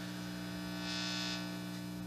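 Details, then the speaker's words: Homebuilt guitar amp: steady low buzzing mains hum with stacked overtones and nothing played over it. There is no hum at zero volume. Owner suspects the volume-control part of the circuit or the grounding; unconfirmed. "You know, see, there's no hum with no volume, so I think it's associated with the volume, or at least on the part of the circuit where the volume control is."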